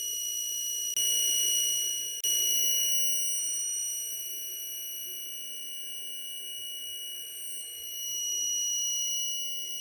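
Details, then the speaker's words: SMCU-4 integrated ethernet CNC drive running a stepper motor in a Mach 3 jog test: a steady high whine holds an even pitch after two short ticks, with a distinct tone change at 3500 RPM. Mach 3 reads 3499. Stepper whine is normal. "once again we hear the tone difference 3500 RPM right there"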